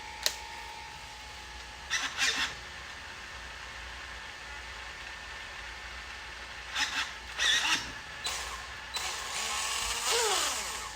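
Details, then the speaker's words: Traxxas X-Maxx motor after front bearing replacement: short bursts of clean high electric whine rising and falling with throttle, no more grinding. "much better [Music] no more grinding"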